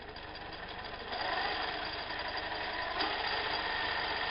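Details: Minilathe motor on a completed homemade PWM speed-control circuit with feedback torque control, switched on at slow speed: steady, even electric hum with a faint regular pulse, no grinding or knocking; motor runs normally.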